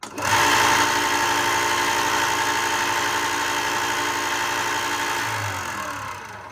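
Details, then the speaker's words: Ryobi 4x36 bench top sander after replacing bearings to fix clicking noise: steady motor hum with even belt whir, no ticking, winds down smoothly; normal running, never very quiet. "This thing was never very quiet to begin with."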